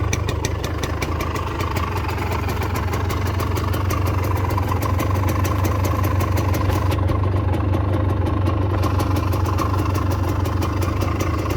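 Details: Restored Gilera KK125 two-stroke warming from cold; crisp idle firing about four pulses a second, picks up cleanly on blips and settles back. Normal running.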